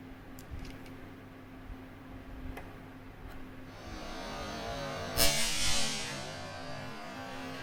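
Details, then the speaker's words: Zotac GTX 460 SE reference PCB during hot-air VRM upgrade rework: a steady hot-air hiss, then one sharp pop about five seconds in as a heated 16V capacitor under the foil protection bursts. "You can hear a pop. You can't really see it because it was under the protection, but one of those capacitors blew up."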